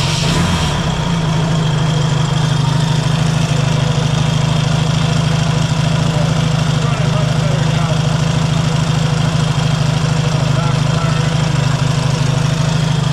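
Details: Yamaha XS650 twin idling after a cam timing check (suspected one tooth out) and reinstall in the frame: deep, steady low thrum with an even beat and no stumble or tapping, running clean.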